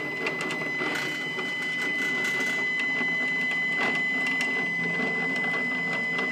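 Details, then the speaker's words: New Stepcraft 840 CNC machine during setup, just after loosened parts were snugged down: as the gantry travels back along the axis there is a harsh, buzzy chatter with a steady high whine on top, rough noisy travel, cause not identified. "now let's see if it'll go back and clear clear that and now we're going to go back boy does that sound like [Music]"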